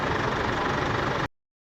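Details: Isuzu D-Max diesel after repair of its smoke, black smoke, heavy fuel use and sluggishness complaint: short burst of steady, even idle with no knocks or misses before cutting off; normal diesel idle.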